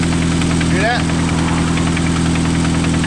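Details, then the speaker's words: Engine idling with a regular deep knock about three times a second; suspected connecting-rod knock on the crankshaft, to be confirmed with a screwdriver check and by pulling the coils off one at a time. "that sounds like rod knock right there like the connecting rod is banging up definitely on the on the uh prank shot yep sounds like rod knock"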